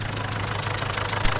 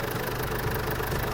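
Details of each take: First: Mazda BT50/Ford Ranger diesel (same engine) at idle: a sharp puffing tick about three times a second over the clatter, heard as air escaping around the injector. Pouring water on it shows a compression leak at the injector sealing washer. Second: Ford Ranger/Mazda BT50 diesel at idle after the leaking injector sealing washer was repaired: a steady, even clatter with no hiss or puffing from the injectors. The leak noise is gone: normal idle.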